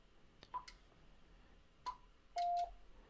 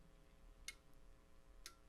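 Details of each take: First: Icom IC-7300 internal auto antenna tuner at the top of the band with SWR near 3:1: button clicks, two short high beeps, then one longer lower tone; no relay chatter and the tune indicator stays off. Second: Icom IC-7300 internal antenna tuner on 40 meters, mic near the radio: two sharp relay clicks over quiet hum as the tuner recalls memorized settings while tuning across the band; normal operation.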